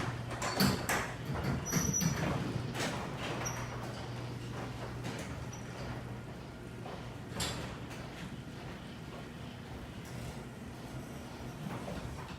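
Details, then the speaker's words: Garage door opener drones low while sharp squeaks and clacks repeat as the door travels; suspected metal-on-metal friction from dry parts. "Today I'm going to show you how to fix a squeaking garage door."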